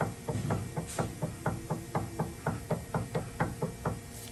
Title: Sound Of A Loose Stabilizer Links/Dodge Dakota Suspension Clunking Noise #howifixedit